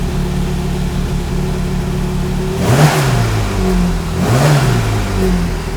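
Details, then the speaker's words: Classic Mini Cooper S race engine, first start after refitting, cold, oil pressure over 100; rough idle, revs dip and stumble on blips, hesitant pickup because carburettor needles still too lean despite enrichment: hesitant throttle response, lean mixture. "so you can still hear it it's a little bit hesitant to pick up and that's because the needles are still a little bit"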